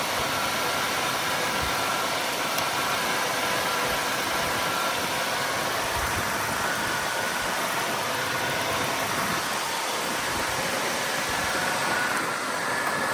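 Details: GM 3.8 liter (3800) engine restarted after new water pump while refilling and purging air from coolant, a leak spotted: steady, even idle with constant hiss over it, no knocks, misses or hunting; sounds healthy.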